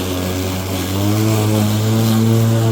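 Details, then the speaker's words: Battery electric lawn mower with variable-speed blade, cutting long wet overgrown grass while bagging: the steady motor hum climbs in pitch as the blade meets heavy grass, then holds. This is normal load-sensing speed-up, which saves battery until power is needed. "how this thing saves battery while not sacrificing power. Kick it back down. We don't need all that."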